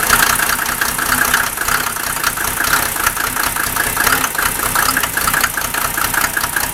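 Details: Mercedes OM603 diesel cold start: uneven clattery stumbling idle with misfiring and heavy smoke, reduced when injector lines 2 and 6 are cracked; glow plugs checked OK; still rough when warm, cause not found.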